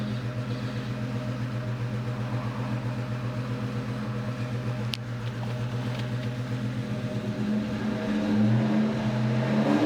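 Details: 2002 Ford Mustang GT V8 misfiring after a thread insert was installed in cylinder 3: uneven, lumpy idle, stumble persisting as it revs.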